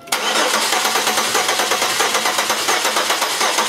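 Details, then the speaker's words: Cranking on the starter during a relative compression test with a lab scope, waste-spark ignition, six-cylinder engine: rapid uneven whirring with one stroke per cycle lighter; cylinder number two has no compression. "so this is one two three four five six and starts over one two three four five six so you can see that cylinder number two has no compression"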